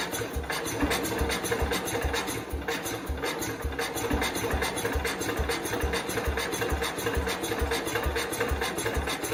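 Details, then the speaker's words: 1969 Cub Cadet 105 after engine reassembly and valve adjustment: uneven chuffing firing pulses, about two a second, stumbling and never settling into a run; much more responsive than before but still won't run, cause unknown. "it's definitely a lot more responsive than it used to be that just popped out in there however it definitely still has an issue what the issue is I don't know it's a lot better I haven't gotten it to run though"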